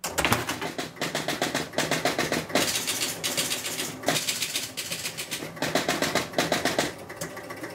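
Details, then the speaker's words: 1975 Gottlieb Spirit of 76 four-player electromechanical pinball after repairs: rapid relay clacking as the player unit steps through players 1–4 and score reels clear, then ball kick-out; normal startup. "and then you see there's the ball kick out and you see player one up at the top so that's a good startup on a gly four player machine"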